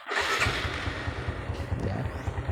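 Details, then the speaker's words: Used motorcycle engine start check: brief starter whir, then engine catches and settles into an even, steady idle with no knocks or odd noises; judged still normal. "kita lihat cek juga di bagian kirinya ya ada yang suara aneh-aneh atau enggak kalau ini menurut saya Ya masih normal ya"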